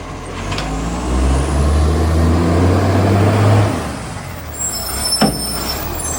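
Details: Garbage truck SL757, a spare truck that has started slamming, running under load: heavy diesel rumble with loud raspy chuffing from an exhaust leak, and an air-brake hiss near the end.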